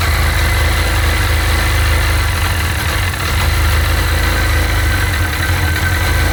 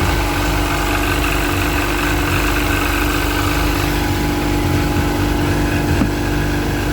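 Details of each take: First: Sea-Doo 951 DI two-stroke during custom rebuild troubleshooting, idling with low but steady air-injection pressure; steady low idle stumbling faintly now and then, no surge; rough idle, owner suspects the air pressure regulator. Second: Sea-Doo 951 DI two-stroke after custom rebuild, air system fed shop compressed air at a steady 80 psi, fuel pressure steady against the 107 psi spec; fast, even idle around 1450 rpm holding a steady note, no misses or surging; normal.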